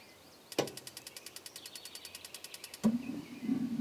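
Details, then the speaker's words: 2012 Rockwood RV propane water heater, switched on from inside: about ten quick regular igniter clicks a second for two seconds, then a soft whoosh as burner lights and keeps burning; works normally. "all right the water heater is on I'm not going to let it run too long just because that bottom uh drain plug is not in there super tight but I wanted to make sure that that worked and it ran and it does that's the important part"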